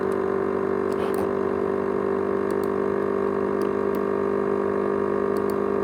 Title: ASUS X543UA USB HDD 500GB: (RATTLING SOUND) (SOUND JET ENGINE)